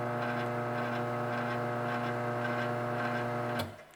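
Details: Garage door opener motor, set on a towel: steady, even hum at constant pitch, runs quietly and stops cleanly; normal quiet motor run.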